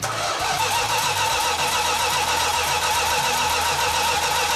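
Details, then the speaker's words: 1969½ Dodge Super Bee A12 440 Six Pack cranks steadily but never catches. A fuel leak came from mismatched fuel line sizes between the engine and the remote tank, plus loose carburetor fittings. "So when we initially tried to start cranking the engine over, we had a nice fuel leak."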